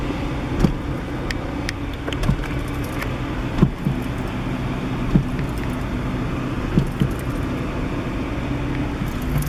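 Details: 1998 Acura Integra, manual, while driving: single dull clunks every second or two over road rumble, with bucking and lurching. It is worst when disengaging the clutch and when turning, and persists after axle replacement; the owner suspects steering play or rack, cause unconfirmed.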